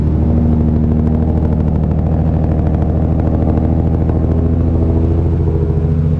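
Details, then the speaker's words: Nissan Skyline R33 with big turbo and fresh build, after an ECU fault was diagnosed. Just started and warming up, it holds a deep, steady idle with an even low rumble and no misses or knocks. Normal warm-up idle. "so we'll let it warm up and then we'll give it some rounds"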